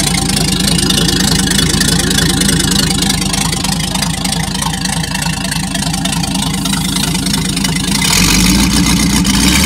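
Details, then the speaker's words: Packard 356 nine-main-bearing marine engine, first run after rebuild with oil on cylinders needing to clear: steady even firing, deep throaty note, brief rise in revs; cleared out and running healthy before final adjustment. "i had to clear it out a little bit there but it cleared out just fine"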